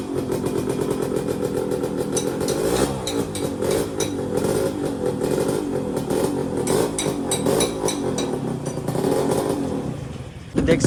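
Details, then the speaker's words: Yamaha RXZ two-stroke after new bore and piston replacing the old one, first start: fairly even buzz with light top-end clatter, about 70% quieter than before, slight clutch bell noise remains; normal two-stroke running. "इसकी वजह से हम यहां पे आ गए थोड़ा सा दूर आ गए सिटी से क्योंकि आवाज कुछ मतलब दूसरा वॉइस में आगे साइलेंसर इंजन का आवाज पहले कितना आ रहा था और अभी उस मुकाबले अभी देखो मतलब नहीं बोलता हूं 70% आवाज कम हो चुका है।"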